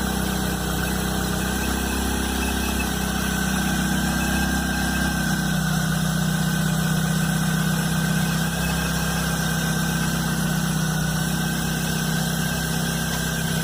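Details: Chevrolet Blazer at cold idle, noise starting the morning after a mechanic replaced the timing belt and upper belt: loud, steady droning hum and vibration over the engine beat; cause unknown.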